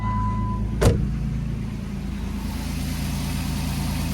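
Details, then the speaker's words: Jeep Wrangler JK engine at smooth, even low idle with no ticking or clatter, right after an oil change plus Lucas additive; much quieter than before, when it ran low on old oil. "can tell you that's a lot quieter than it was beforehand with not enough oil in it"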